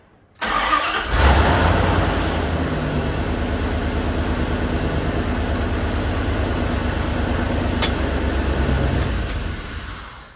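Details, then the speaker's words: Old W250 truck with Magnum swap, Magnum ECM and fusible link delete: the fuel pump primes, then a quick crank, clean catch and steady, even idle. No belt, alternator, coolant or intake yet, and the exhaust hangs loose; healthy start. "I'm going to bump the key and you'll see how nicely this thing starts."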